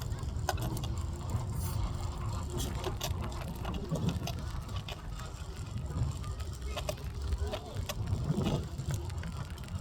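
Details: Evercross H5 scooter wheels: a rough low rumble with a scratchy grind, faint hiss and scattered irregular clicks.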